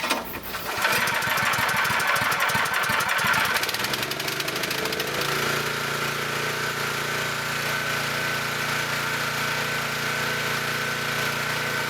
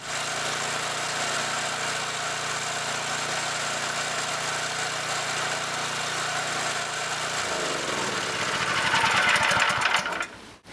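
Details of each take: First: Scott Bonnar 45 mower after rebuild, first start, engine at full revs: brief clunk as cutter clutch engages before reel runs steadily; engine should be slowed before engaging. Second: New rebuilt Scott Bonnar 45 mower petrol engine at first start: steady even buzz, then note dips and settles as cutter clutch engages; engine runs happily, clutch working well, top chain may need slightly more tension.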